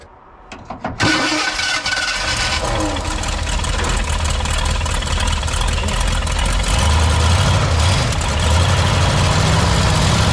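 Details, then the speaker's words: 1985 Ford Bronco started after sitting in a backyard: brief crank, then a slightly uneven, lumpy idle with puffing; no misfire felt, possibly an exhaust leak. "it doesn't feel like it's got a misfire everybody's uh maybe buddies uh no doesn't feel like it has a misfire maybe it's just an exhaust leak"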